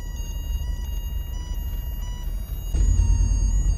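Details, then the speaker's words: Neglected Citroen SM being revived, engine running before its first test drive around the block: a steady, pure high chime over a low engine rumble is the seat belt reminder waiting for belts to be fastened; seat belt warning chime. "this is the noise it makes when it's waiting for you to fasten your seat belts you hear that"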